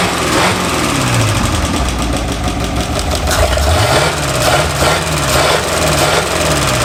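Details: 1951/52 Buick Super straight-eight, abandoned for 40+ years, idling on restart: it settles into an even, steady idle with all eight cylinders firing and no miss or stumble.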